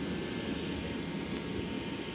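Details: Hydrovane 23 PUM rotary vane compressor, 4.5 kW, 580 l/min at 7 bar: steady drone with loud hiss as internal air regulator fails to unload, pressure builds until safety valve opens; adjusting regulator at bottom attempted.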